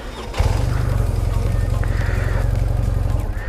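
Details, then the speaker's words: BMW R1150GS after fixing fault where injectors sprayed fuel on ignition-on before cranking, flooding the combustion chamber so it wouldn't start: catches at once, even regular low idle, no stumbling or flooding; normal start and idle. "y ahora pues como el problema ya está solucionado enciende a la perfección"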